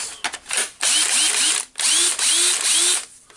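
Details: Makita DHP458 cordless drill test run: short trigger bursts with motor whine sweeping up smoothly, no grinding or rattle; drill runs normally.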